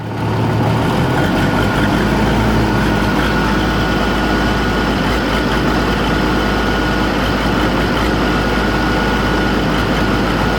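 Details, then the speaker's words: Oliver 1600 diesel tractor, hours unknown (clock broke at 1100), valves already checked: fine at idle and PTO speed but at mid-range rpm it coughs, spits and stumbles irregularly; owner suspects the injection pump, possibly energy cell, unconfirmed. "You can hear it just kind of all over the place. It coughs and spits, and it's just not smooth. And my understanding is that it should run pretty smooth."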